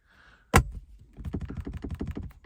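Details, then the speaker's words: Truck centre armrest lid rattle, still present even with the lid locked: a hard thunk, then quick plastic clacks about six a second as the loose lid is rocked. The fix is a small piece of tape. "still there's a rattling issue that's going on in this truck."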